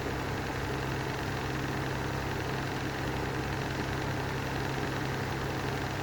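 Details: Lanson Style 3 exhaust fan that needs new bearings: a steady low motor drone with a constant hum and a faint rough vibration under it, consistent with worn fan bearings.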